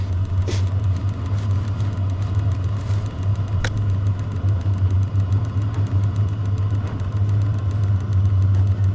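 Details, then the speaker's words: VEVOR 5 kW diesel air heater, very cold day, battery about 10-11 V, just fired up with heat exchanger temperature reaching about 150-152 °C: low, steady rumble with no sputtering or misfire; ignited successfully and running cleanly. "so we have successfully fired up it will stay running now"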